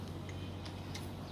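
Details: SYM VF3i turn-signal flasher relay after modification, its internal striker glued to silence the loud tick: soft, light ticks roughly every third of a second over a low hum; relay clicking quietly and evenly, working normally.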